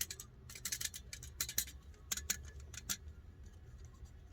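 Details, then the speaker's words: Suzuki Splash clutch disc removed during clutch kit replacement, shaken by hand: loose metallic clicks and rattles in bursts; two damper springs fatigued and loose, others holding. "Celui-là il tient. Celui-là il tient. Il y a deux ressorts qui sont fatigués."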